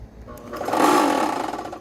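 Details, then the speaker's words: Ryobi RY142711VNM electric pressure washer, 2700 PSI, which tripped the house breaker, fitted with a new CBB60 120 µF 250 VAC motor run capacitor: on a brief bump with no water the motor hums for about a second and tries to run. "And the motor did try to run."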